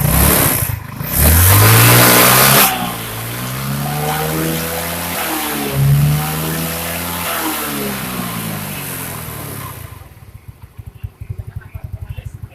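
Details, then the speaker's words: First-generation Yamaha Mio scooter after repair, CVT shaft cleaned and lubricated, reassembled: engine revs up and down smoothly through the belt drive with no rattles or scraping; normal CVT operation. "Suaranya wis normal, masalahnya cuma di as tadi top ya."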